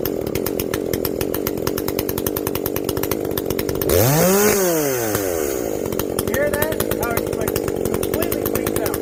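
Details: Echo CS-590 chainsaw after a carb mod with limiters removed, high and low jets richened, exhaust opened up; screams at high revs, dips slightly into the cut and recovers cleanly; not running hot, owner guesses it now reaches the rev limit.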